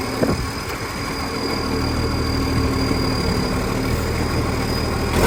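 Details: 2013 West Torrens diesel garbage truck: a loud, steady drone with a raspy, open edge over the low rumble and no rhythmic knock. Big exhaust leak.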